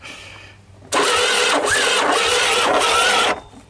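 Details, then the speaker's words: Honda ATC125 three-wheeler bought for parts, which developed a rattle, stalled and would not restart, now restarted after oil was put in the cylinder and intake: it runs rough with a harsh gritty grind and thin whistle, then cuts out; engine appears worn out. "i'm not sure what to think of that grinding sound i don't know you guys kind of heard it right"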